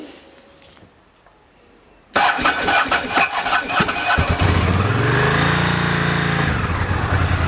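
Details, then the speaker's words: 1998 Ducati ST2, 10,596 miles, cold start on new lithium-ion battery, new fuel pump, HT leads and plugs, fast-idle lever down: short starter churn, fires within two seconds, revs then lumpy twin idle. Normal cold start. "That was cold on lithium battery, so it's actually a very good start."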